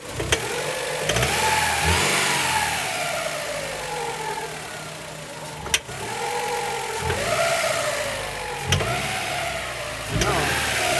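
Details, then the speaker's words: 1999 Honda Prelude, 113k miles, dies after about 30 minutes idling warm and won't restart, suspected flooded rich, distributor being adjusted; revs surge and sag irregularly with sharp blips, never settling: rough running and stalling. "[Applause] and this is the exact symptom where it's one duck will die it's a little different because when it when it's totally flooded"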